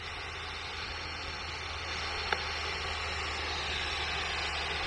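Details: Air conditioner coil at about 190 psi, heard through an ultrasonic leak detector's speaker: steady rushing static hiss over a low hum; refrigerant leak hiss.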